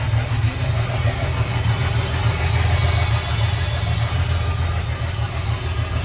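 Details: Ford 300 inline six with a newly finished homemade turbo header, first fire-up with cutout open after priming the fuel pump: deep, loud, even idle rumble with a steady lope, no knock or tick; normal idle.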